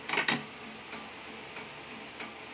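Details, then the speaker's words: Simplex 2001 fire alarm panel (4250-120) with march time card newly fully wired after cutting two resistors on the signal card: crisp relay clicks at a steady march rhythm, about three per second, as signal relays pulse the NACs normally. "So here we go. 3, 2, 1. You'll hear the relays"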